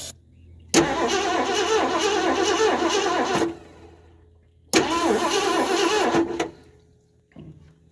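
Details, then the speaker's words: 1978 Mercury Marquis Brougham 400 parts car, long stored, cranked with a remote starter button on carburetor cleaner: two bursts of steady cranking, about three compression beats a second, no firing because the key was never switched on. "well it's not firing on carburetor cleaner that's shocking to me oh Jesus you know what I didn't do forgot to reach in there and turn the key on what an idiot no wonder it don't have fire"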